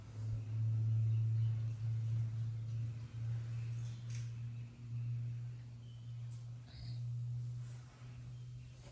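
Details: Nissan X-Trail T30 QR25, after timing chain reinstallation to fix hard starting and P0335 crank sensor code: low, steady hum with slight swells, no knocks or ticks. Normal smooth idle.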